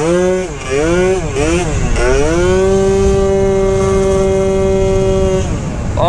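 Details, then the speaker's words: 120cc stroker Honda Elite two-stroke after tuning and fitting a Quick Throttle: sharp blips, then a clean, steady high tone without stutter or bog; pulling strongly and crisply, owner thinks it is tuned right. "boys we might have tuned it right holy I think we got it right boys"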